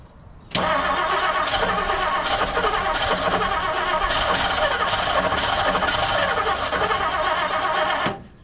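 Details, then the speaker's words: 1959 Plymouth Savoy with points ignition and aftermarket carburetor, distributor timing guessed; steady, even cranking for about seven seconds but it never fires despite pumping throttle. Spark confirmed; owner suspects points adjustment. "So let me just try to fire it and see what happens. wanted to fire. Give it some pumps. We're definitely getting spark."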